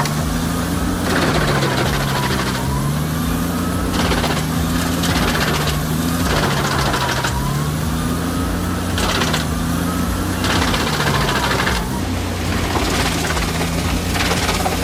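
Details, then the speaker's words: Jensen HM582 wood chipper fed wood with branch forks left untrimmed; the engine pitch sags every couple of seconds as wood feeds in, then recovers. The engine is overloaded and labouring, burning fuel and stressing the machine. "You're burning fuel, losing time, and stressing the machine for no reason. It's telling you it's full. Listen to it."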